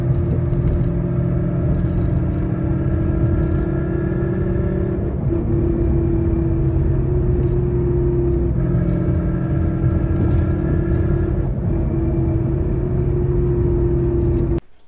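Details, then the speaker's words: 2011 Mustang GT with Roush Phase 1 supercharger, driving: steady low roar with droning tone rising and falling with road speed in gear, gone with clutch in or neutral, progressively louder; rear differential and bearings failing, replaced. "every time i'd either push in the clutch or have it in neutral you obviously wouldn't hear the noise so made sense why it was the differential and a couple of bearings"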